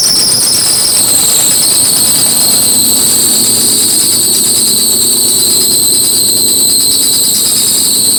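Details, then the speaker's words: Civic EM2 with stock D17 engine running 10 psi boost, downpipe not yet connected: loud, steady high-pitched squeal over a smooth idle from a loose drive belt needing tightening. "this belt just needs to be tightened so that fat squeak himself more"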